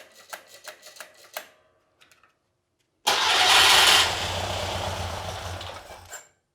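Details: Porsche 912 air-cooled engine stored over ten years, after points gap set to 0.016 in and rotor cleaned, fed from an outboard fuel tank: slow starter clicks, then a loud burst, runs rough about three seconds and dies; cranks and catches but won't keep running.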